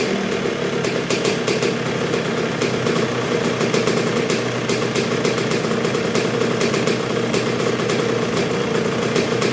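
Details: 1986 Honda CR125R two-stroke at first start and break-in after a new .060-over Wiseco top end: low, even idle with crisp steady ring-ding, no stumbling or surging, though not yet fully broken in; idles cleanly.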